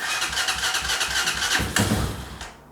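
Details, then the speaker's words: Carbureted Hawk 250 Chinese motorcycle, crashed and sitting a year, spark confirmed at plug: quick rhythmic cranking chugs, then a brief stronger burst as it nearly fires and dies; choke being on is suspected as why it wouldn't run. "Let's try to start it just one more time. Whoa."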